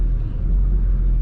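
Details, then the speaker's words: 2000 Porsche 996 911 test drive after rear brake pad replacement, wear light off: low steady droning rumble at cruising speed, no squeal or grinding; hum from worn-out tires, brakes quiet. "No noises, nothing. Just the hum of the worn out tires, but that will be the next winter project."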